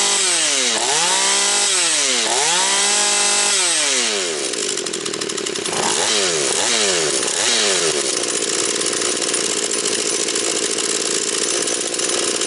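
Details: Husqvarna 240 chainsaw after rebuild, still breaking in, idle to be raised: crisp revs snap up and fall back, then a steady high scream under cut with no stumbling; smoking slightly afterwards; healthy, well-tuned saw.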